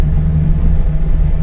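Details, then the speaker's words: V8 truck after a cam swap, tuned with HP Tuners. In gear the lumpy idle wobbles as timing swings into the negatives, while park and neutral hold a steady 25 degrees near 800 rpm. Rough idle from torque-management spark retard. "you can hear the its idle and crappy and you can see that timing balance and like now it's in the negatives and it's bouncing all over the place and sounded like crap"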